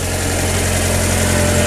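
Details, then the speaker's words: Newly bought project car idling after a new battery fixed hard starting, left running to warm up and check for leaks; smooth steady idle hum with an even low rumble, no ticking or knocking, normal warm-up. "I'm going to let the car run right now and then can see if there's anything leaking. Let it heat up and open up a door."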